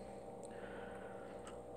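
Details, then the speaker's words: National Geographic 5-gallon waterfall aquarium kit: a steady, loud, low buzz with a fixed hum from the filter motor. Repositioning the motor did not stop the buzzing. "we say one of my complaints about this tank as you guys can probably hear is how loud the filter is and hear it buzzing and I'm not been able to get that to stop buzzing"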